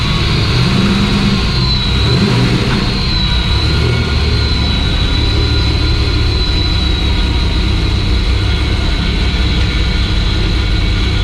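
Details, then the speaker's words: Turbo V6 Ecojet build being readied for the dyno, idling after an oil and filter change while being parked and checked for oil drops: strong, even low rumble, steady beat, no knocks, ticks or hunting; clean idle. "we'll leave this video with me starting it i'm letting it idle for a bit as i park it back to where it needs to go and then seeing if there's any oil drops"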